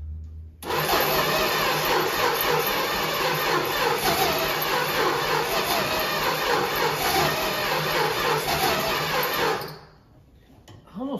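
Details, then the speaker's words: 1964 Dodge Dart wagon, 170 slant six, parked over 25 years: after starter fluid, fast steady cranking for about nine seconds with no catch, then stops; owners suspect weak spark (plugs or wires) or timing, not confirmed. "It's like got like a weak spark or something. Like maybe those plugs need to be changed or the wires, you know."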